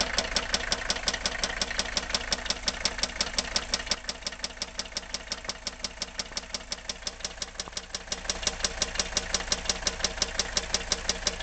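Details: Mercedes W123 300TD wagon, OM617.952 turbo diesel, warm, glow plugs disconnected: sharp regular knocks nearly three per second at idle; rod knock confirmed on teardown, with rod bearing surfaces worn through.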